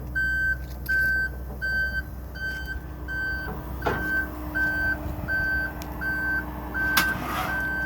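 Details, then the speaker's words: Aerial 498 fire apparatus at the access panel: outriggers-on switch enabled to extend the left outriggers, steady high-pitched warning beeps about 82 a minute over diesel idle with aerial PTO on. "You come to the access panel and you come to the switch which says outriggers on. You'll hear the beeping. This operates your left outriggers, so you'll bring it out."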